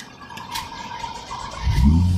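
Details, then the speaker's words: Normal start on a 2016 BMW X5 with 97,000 on it after a bypass ground was provided for a corroded or damaged engine ground strap that had caused a no-start with lost-communication warnings; quiet ticking, then a firm crank catches into an even idle, with no check engine light. "And it started because we've provided the ground it needs. Check engine light, everything's fine."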